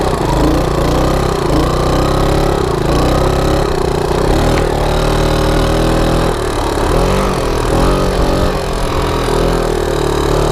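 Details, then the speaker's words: 1987 Honda TRX125 ATV bought after a trail wreck, on its first ride after repair: engine revs climb and hold high under load while road speed does not increase, a flat drone from a slipping clutch. "clutch is slipping i don't know how is he riding this i'm lost trails with clutch slipping like that yeah you guys hear it speed isn't increasing it's just"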